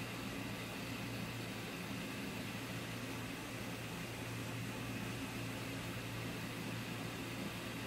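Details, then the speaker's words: Sunstar 45K BTU overhead garage radiant tube heater: even steady blower hum, low motor drone and airy rush, no ignition yet; normal 30-second exhaust fan purge before ignition fires. "so it's a 30 second purge it blows anything out of the exhaust for 30 seconds and then it'll start up so 30 seconds and then the ignition will fire"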